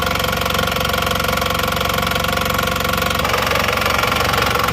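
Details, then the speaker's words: Diesel after engine rebuild (pistons, rings, pins, connecting rods replaced) for 6 litres oil consumption, engine warm after 15 minutes running: steady, even clatter at warm idle, about four beats a second, no smoke; normal healthy idle. "Insya Allah ini sudah oke ya, nggak kasar. Nah, ini sudah oke ya."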